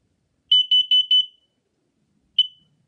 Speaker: Push test button. Fire. Fire. Warning, carbon monoxide.